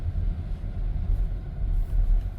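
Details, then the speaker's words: Volvo XC90 after inner and outer tie rod replacement (motor mounts replaced earlier did not help), driving slowly over bumps: only tire and road rumble, front driver-side clunk gone. "no more clunking noise think everything is fixed so far"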